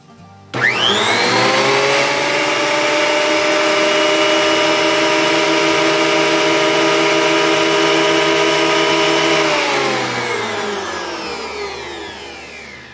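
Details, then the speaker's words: Craftsman 12.5-inch thickness planer, freshly assembled, first test run with nothing in it: motor spins up to a loud, steady high whir with a clean even tone, then coasts down smoothly; running unloaded normally. "Okay, it's pretty loud. I'm definitely going to be using my hearing protection and eye protection."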